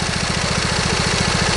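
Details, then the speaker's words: Briggs & Stratton V-twin lawn tractor engine at idle: fast steady putter with slight lopey unevenness, one cylinder firing weakly; owner suspects a miss, possibly ignition or valve cover gasket related, not confirmed; uneven idle. "now put the engine idle down you can hear that it's running on you can hear that you know these engines are actually fairly balanced from the factory so to have that slightness to them"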